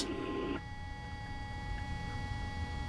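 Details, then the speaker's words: O-scale model locomotive fan-driven smoke unit after noise fix, sounds turned down: faint, steady low hum, no flutter or rattle, much quieter and smoother; small remaining motor noise is normal. "the smoke unit is much quieter it has a much smoother consistent sound"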